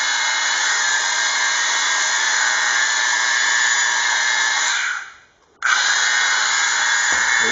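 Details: 1/4" Thor electric drill, older than the owner, running at no load after rebuild; steady high even whine, no stutter or crackle; it seems to be speeding up, maybe as the brushes bed in, and it no longer sparks like it used to.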